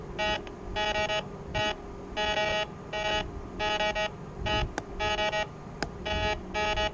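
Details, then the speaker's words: White's MX Sport metal detector with Detech 7-inch DD coil, target separation test over 8 coins. Crisp, distinct target beeps with quiet gaps; cleaner between tones and better separation than the stock 10-inch coil. "And to me, it just sounds a little bit cleaner in between the tones, in between the targets."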